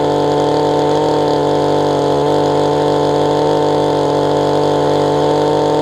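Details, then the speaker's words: Mantis two-stroke tiller after carburetor low/high adjustment tweaks; now idles, which it wasn't doing before. Steady, even buzzing run with no dips, misses or knocks; normal running. "Got it idling. Wasn't doing that before."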